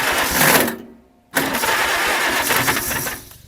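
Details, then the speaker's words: 1947 Farmall Cub with the original distributor cap, terminals dielectric-greased: starter spins and cranks with ragged pops that never catch; distributor cap making poor contact. "See, it's uh trying to run, but it just doesn't catch."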